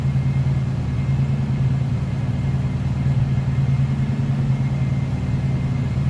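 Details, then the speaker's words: 1967 Mercury Cougar XR7, 351 Windsor V8, automatic, idling shortly after a cold start, heard at the tailpipe; deep steady rumble with even lope, no misses or ticks, good sounding car. "Nothing crazy over the top, just good sounding car."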